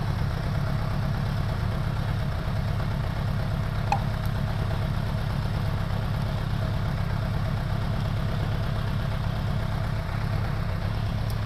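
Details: 2002 Suzuki Bandit 1200S four-cylinder after fixing a vacuum-port leak: steady low idle with a slightly lumpy beat; dead cylinder number three, spark present, number three carburetor most likely the problem.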